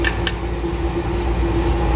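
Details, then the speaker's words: 2002 Craftsman 919.167310 air compressor, owner guesses about 2,000 hours, running in a roughly 60°F garage: loud drone with a rough gritty roar, louder over six months. Dried-out front motor bearing failing catastrophically. "yeah one PSN sounds like my compressor is ready to grenade"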